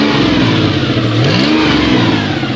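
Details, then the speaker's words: Toyota 1MZ-FE engine at first start after bearing repair, warming to operating temp: revs rise and fall with loud raspy puffing and smoke at the exhaust manifold, no knocks underneath; an exhaust manifold leak. "There's literally smoke spewing out of that. Not picking up on camera, that's weird. And it's making a heck of a lot of noise."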